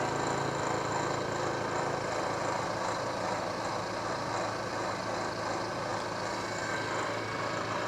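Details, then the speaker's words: KBC mill machining a radius on a bronze acme nut with a corner-rounding end mill, about 0.150 in infeed: even, continuous cutting hum with steady high tone, no chatter or banging; cutting well. "so far it seems to be doing pretty good with that 150 thou infeed there another cut"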